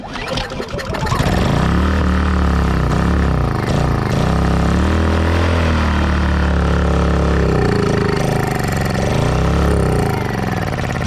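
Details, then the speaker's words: Honda EU2000i inverter generator with a cheap new aftermarket carburetor and the original throttle servo swapped over, primed with ether, catches within a second and runs with an even beat as the governor hunts then settles; normal start and run. "That new carburetor is doing just fine there."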